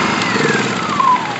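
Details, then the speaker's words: Honda EU2000i inverter generator after carburetor repair with new air filters and oil topped to the dipstick, started on full choke; small engine hums at a steady, even speed with no misses, surging or knocks, running perfectly. "Run it perfectly. That's how she should go."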